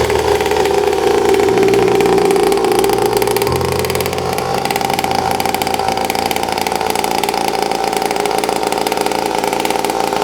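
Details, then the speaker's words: Cheap 50cc Temu dirt bike fitted with a built high-compression replacement motor after the original blew: deep, even single-cylinder chug at idle with light revs, steady firing, no knocks or rattles; sounds like a dirt bike, not a weed whacker; normal running. "But the motor that came with it sounds like a damn weed whacker. The difference in tone is insane."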